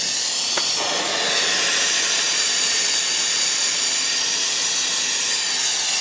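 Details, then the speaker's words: Steady loud high-pitched hiss with no rhythm: air vented from a 5000-litre hot-water tank as cold mains water refills it after a manhole flange repair. The tank filled in under 30 minutes. "Donc ça, ben c'est le froid sanitaire qui pousse dans le ballon qui vire bah l'air qui a dedans et lorsqu'il sera plein ben ça dégueulera ici."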